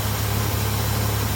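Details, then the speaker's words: 1995 Ford Ranger with a 4.0 V6, after a line cut by the power steering pump was fixed and filters and lines were checked: low, steady idle rumble that holds with no stumbling or dying; it now keeps running on its own, normal idle. "I could crank it up and it would stay running on its own like this. [Music] It stays running on its own."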